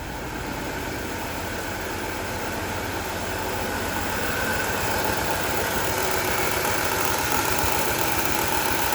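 Rough, lumpy idle in gear with an uneven thudding pulse that keeps stumbling; it sounds like a cylinder dropping out, a dead miss.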